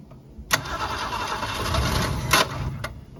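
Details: 1965 Ford Falcon six parked since mid-1990s, points sanded, hot-wired, on poured-in fuel: catches with a sharp burst, runs rough about two seconds, dies; won't stay running, owner suspects clogged fuel pump.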